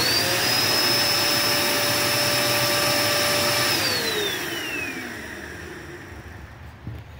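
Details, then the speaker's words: Curbside-found Dirt Devil Endura Max UD70175 vacuum: high, thin steady motor whine with no rushing air, then spins down; no suction, motor running free against a completely clogged hose. "well it did absolutely nothing this is how you can tell your hoes is completely clogged"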